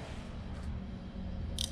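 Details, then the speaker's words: Peugeot 206 three-cylinder fuel injector, about 5 years in service and never replaced, bench-tested off the car battery: a quick tap of power gives sharp ticks as it opens and closes, so it is not seized. Blockage from internal dirt is suspected. "Ó, eu bato, ele abre, ó. Abriu, fechou. Ó. Ó, ele tá abrindo e fechando, tá? Ele não tá travado."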